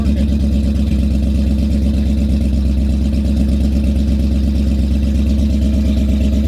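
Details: 2001 BMW 540 wagon, M62 V8 manual swap with E39 M5 headers, first start after sitting six years, new fuel pump: steady deep V8 burble, even pulse around 100 beats a minute, no knocks or ticks; healthy idle.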